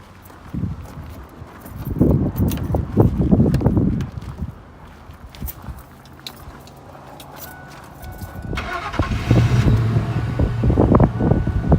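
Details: 1999 Ford Expedition 5.4 Triton 2WD after starter replacement: after a pause the engine cranks briefly, catches cleanly and settles into a low, even idle; new starter working.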